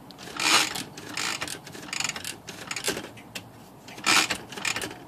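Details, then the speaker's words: Smith Corona typewriter without silencer, whose carriage would not latch and flew to one side: dry clattering and raspy grind as the carriage spaces, from the power spacer; cause not yet found. "let's look at that grinding noise here think that's gonna be returns I sure like that to have a silencer on it"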